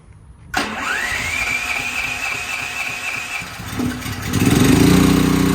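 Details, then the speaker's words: Duromax XP13000HXT generator on natural gas for the first time, no load, hot evening, battery charger helping it crank: rising whir cranking, catching into steady hum only on the fourth try; hard starting, owner suspects air in lines. "four times it takes four times before it starts off all right we're running"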